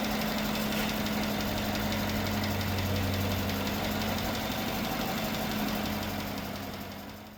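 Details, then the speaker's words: GMC Sierra 1500 replacement engine, smoking after transmission fluid was put in: steady V8 idle with quick light ticking, three or four a second; owner hopes new oil will quiet the lifters, cause suspected, not confirmed. "Yep. Sounds okay. Hopefully the lifters will The new It'll fly it down. the new oil will."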